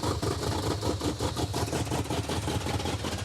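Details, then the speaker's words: 1970 or 71 Camaro after carburetor, header gasket and timing work; lumpy, stumbling idle with missing beats and a wavering note, running very rich as the carburetor floods with its rear float bowl set too high. "Wow, this thing runs awful. It runs even worse than when it wasn't running at all. It's because it's glugging fuel is why."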